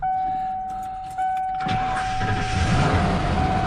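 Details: Truck after replacing the starter that left it unable to start, battery reconnected: steady warning chime, short crank, then the engine catches and settles into an even idle; new starter works normally.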